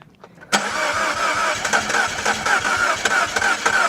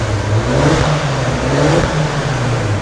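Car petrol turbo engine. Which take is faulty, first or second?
first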